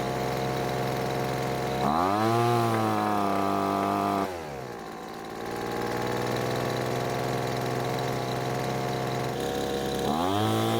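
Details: Poulan Pro blower that stopped running mid-use, after H-screw carburetor adjustment: snaps cleanly from idle to full throttle and back, with a smooth steady scream at top speed and no bogging. A loose bolt was later suspected as the cause.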